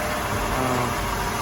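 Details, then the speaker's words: Impala SS V8 just cold-started after about two months sitting, no antifreeze yet, air cleaner off: smooth even steady idle, no knocks or ticks; normal cold idle. "There we go. She's purring."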